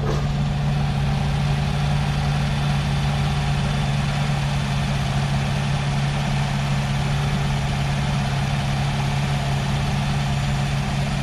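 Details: 2013 Nissan Altima SV bought at auction, thought to have sat about six months with a dead battery and was jump-started: steady, even low hum with no misses, knocks or ticks; engine idles smoothly and sounds healthy.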